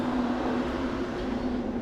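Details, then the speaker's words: 2002 Chevrolet S10 after upgrade from stock single-core to 3-core aluminum radiator with dual electric fans, relay kit, thermo switch and manual toggle switch: steady even whoosh with low hum, no rattle or scrape; twin fans run smoothly. "so if I wanted this thing to just basically the fans come on as soon as I crank it up I can just leave the switch on but all right guys here you go check the fans out"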